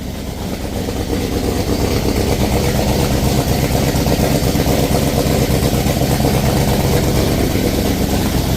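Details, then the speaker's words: Ford Falcon XB hardtop restoration after rewiring, no coolant in it, earlier noise now gone (owner unsure why): even settled idle with steady low drone, no knocking; normal idle. "But yeah, that's that noise is gone now."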